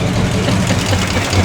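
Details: Flathead side-valve V8 (9A Merc block, about 1941) newly fitted in a barn-find 1934 Ford coupe: deep, even low rumble with a steady beat, no knocks or misses; idling just as a side valve should.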